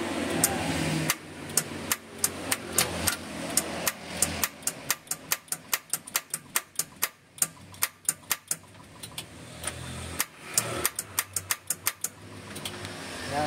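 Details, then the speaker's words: Mitsubishi Colt T120SS, engine off, trying to start: sharp starter clicks about three per second with no cranking; weak battery suspected, to be topped up and charged. "hanya cuman ceplek ceplek ceplek ceplek saja enggak bisa kuat starter"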